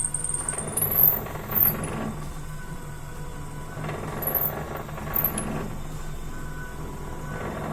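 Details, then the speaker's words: Mini wood lathe with only a 300 W motor drilling a pen blank: low hum with rough cutting bursts, pitch sagging as the drill goes deeper and friction and heat rise, slight burning smell; motor slowing under load. "So we have to slow down. If you can just hear the lathe slowing down a little bit because the friction is increasing. We've only a 300 watt motor on this lathe, so we can't expect too much from"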